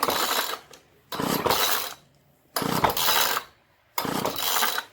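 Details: Craftsman gas string trimmer model 358.797270, two-stroke on 50:1 gas-oil mix, tank found dry and refilled; four recoil pulls, each a dry whirring rasp with silence between, engine never fires; crank-no-start from a gummed carburetor.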